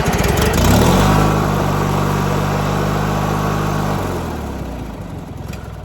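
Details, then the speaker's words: 1997 MTD Yard Machines riding mower, hard start from an empty tank after refuelling: engine chugs unevenly at about four beats a second, sags and fades toward stalling; rough running after a hard start. "it's not happy."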